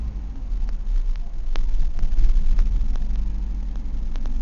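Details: 1999 Ford Escort ZX2, 2.0L twin-cam Zetec, at idle: uneven, lumpy idle that surges and stumbles with a miss, a tap and heavy blow-by. Cylinder two reads 25 psi; owner suspects lower-end failure and possible knock.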